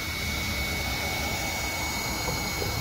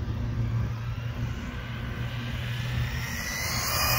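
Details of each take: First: ZD Racing Thunder B-10E buggy on 3S: constant high electric whine with no drivetrain noise as the pinion slips again on the motor shaft, which lacks a flat spot; loose pinion gear. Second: ZD Racing Thunder B-10E buggy kit on a 3S 5200 mAh battery with unchanged gearing, on a full-throttle parking-lot pass: steady high motor whine with tyre hiss building as it screams past. Normal full-throttle run.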